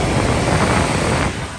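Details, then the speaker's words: HVAC no-cooling call with blank thermostat: with 24 V present, thermostat red jumped to yellow, the outdoor unit gives a steady, even rushing hum with no knocks or rattles; condenser normal. "i don't know if y'all can hear that but the outdoor unit's running and i'm sure y'all can hear that"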